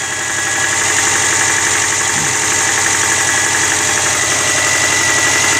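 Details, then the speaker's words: Early-2000s Subaru Forester, 250k km, cold start on Rotella T6 0W-40 after a change from Mobil 1 5W-30: light rapid ticking slap over the idle, steady; piston slap, goes away when warm, unchanged by the heavier oil. "nothing can really cover that up it is just a piston moving around a little bit horizontally in the engine"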